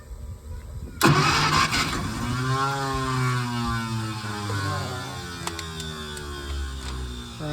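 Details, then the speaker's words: 1951 Packard straight-8, 6-volt, sat 30+ years; spark restored after fixing grounded points wire, fuel sprayed into carb: starter whirrs, engine fires and revs unevenly but won't sustain; owner unsure if spark is lost once starter disengages; crank no start. "Trying. It wants it. It wants it. Can't tell if it's losing spark once the starter disengages."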